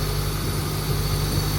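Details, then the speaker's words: Honda Turbo GSR Integra after cylinder head reinstall and valve adjustment, started right up: low, steady idle rumble with even pulse, no knocks or ticks, some parts vibrating; normal idle. "Idling now, it sounds"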